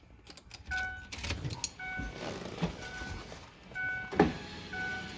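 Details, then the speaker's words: 2004 Ford Freestar power window motor working again after its connector was unclipped, cleaned and replugged and the stuck motor was tapped free with a screwdriver handle. Short runs of steady whine with no grinding. Normal window operation. "just tapping on that it uh broke it free so now"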